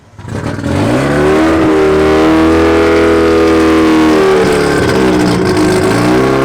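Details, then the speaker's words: Rotary-engined Nissan S15 on a Link ECU, after making both idle cells the same and fixing a transition table triggered at idle by a TPS reading over 5%: idle now lower and more stable; revs up cleanly and drops back smoothly with no hunting. "so now with all those little settings you can hear the difference you know the idle's way lower it's more stable and it's a little bit more responsive"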